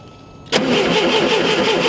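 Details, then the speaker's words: VW Super Beetle with the original distributor and condenser refitted: the starter spins the engine evenly but it never fires; no spark, and the condenser turned out not to be hooked up. "Damn. We got no spark."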